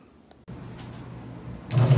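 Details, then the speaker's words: Emerson Electric antique motor, circa 1900, series-start induction-run, running on its own after an armature fault repair: quiet steady low hum with brushes faintly rattling loose in their holders, a louder burst near the end, no grinding; normal running. "out so you can see it actually runs pretty quiet once it's running um you can can hear a small amount of the brushes rattling around in their holders there"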